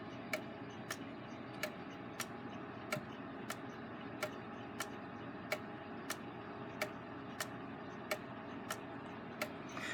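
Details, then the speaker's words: Gilbert long-drop octagon clock after rebuild, back on the wall with pendulum rehung, beat adjusted, springs not fully wound: steady ticking just under one a second with slightly uneven tick-tock, phasing in and out of beat; escape wheel suspected slightly out of round, very minor. "what we need to do now is watch it and listen for phasing that might indicate that the escape wheel is slightly out of round phasing would be where it wanders in and out of beat"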